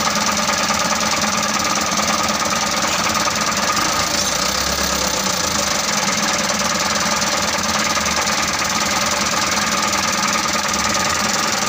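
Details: Mitsubishi Canter 125 diesel that was hard to start, after bleeding and adjusting the injection pump: steady, gravelly diesel clatter at an even idle, no misfires or stalling; now runs, if a little rough.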